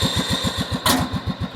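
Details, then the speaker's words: Cub Cadet 2130 after fuel pump, carburetor, choke and wiring repairs, cold at about 35°F, half throttle, in neutral with forward pedal engaged: even firing, no misses; whine is the transmission/clutch system; burns no oil, running healthy. "doesn't burn any oil sounds great got in neutral right now so forward pedal is completely engaged"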